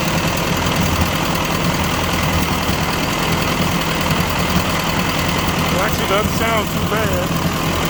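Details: 1957 Ford 841 tractor four-cylinder after its carburetor was replaced with a Chinese carb: low, fairly even idle with a steady rumble underneath. Runs smoother; normal idle.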